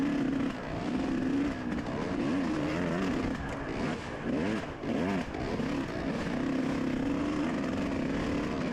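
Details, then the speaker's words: Dirt bike racing a muddy lap, recently fitted with 40 pilot jet and stock 450 main jet: note holds at part throttle, then wavers and drops out before recovering, cutting out mid-throttle, worsening through the day; owner suspects jetting, not confirmed. "Kind of hear the bike cutting out right there at like mid-throttle, and that just got so much progressively worse throughout the day."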